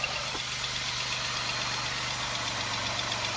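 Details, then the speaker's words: 2005 Buick LeSabre 3800 after cylinder head replacement, idling while bleeding the cooling system: faint quick ticking about four a second over exhaust hiss; suspected exhaust leak toward the rear, source not found. "We got a little We got a little exhaust leak somewhere. I hear something back here."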